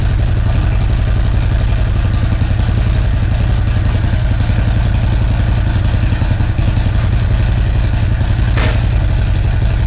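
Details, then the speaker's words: 2017 Harley-Davidson Ultra Classic Milwaukee-Eight 107 after Feuling 465 cam and Rinehart dual exhaust install: deep lopey V-twin idle, even firing, no ticks or knocks; started right up, healthy. "all right awesome everything sounds good with it you know popped right off no funny noise is there anything that's way it should sound"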